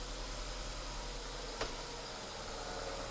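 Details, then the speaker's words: Ford with freshly fitted new ignition system (spark plugs, leads, coil pack), after service: quiet, even idle with a steady low hum and no stumble, tick or miss; normal idle. "There you have it. A lovely a lovely running engine."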